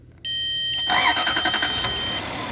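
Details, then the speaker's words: 2006 Lexus GS430 with a no-start complaint: a steady electrical tone, then the starter cranks briefly and the engine catches right away. This came after the starter relay's starter wire was fed positive directly; the relay signal was missing. "गाड़ी start होगी गाड़ी। ठीक है, गाड़ी हो गई start."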